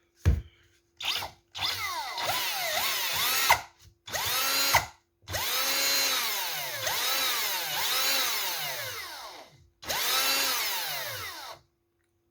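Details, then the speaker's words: Old DeWalt DC988 cordless drill, motor after cleaning and electrics work, brushes nearly worn out, gearbox not yet serviced: short trigger bursts with a clean whine rising and falling smoothly with speed, no rattle or scraping; motor runs healthy. "sounds a thousand times better"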